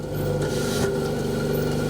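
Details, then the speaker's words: Antique Kelvinator fridge after rewiring and earthing; steady low hum with even pulsing beat, faint high tone and refrigerant liquid boiling; compressor running smoothly. "here the refrigerant liquid boiling [Music] yeah it's working city it's working"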